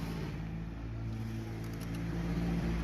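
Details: 2014 Kia Rio no-start: with engine control relay command wire manually grounded, relay clicks and engine runs at steady low even idle; removing ground stops it; relay fine, ECU ground command missing.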